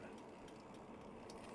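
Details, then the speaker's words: New Lectric XP Trike 2.0 750W after about 8 miles: light clicks every quarter second, following wheel speed while riding. The rear wheel is clicking; the owner suspects spokes knocked during shipping, not confirmed. "Yeah, my back wheel sounds bad now. I can hear it clicking bad. It's got to be the spokes."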